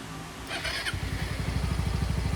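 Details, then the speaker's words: Mio i 125s scooter, 54mm Racing Monkey 132.6cc block, new valve seals, modified camshaft, restarted after tuning, AFR about 13 at optimal temperature: short starter whir, then even putter about nine pulses a second, steady and clean normal idle. "Pero tahimik po yung kanyang makina. Parang stock lang din. Walang masyadong lagitek, walang masyadong ingay."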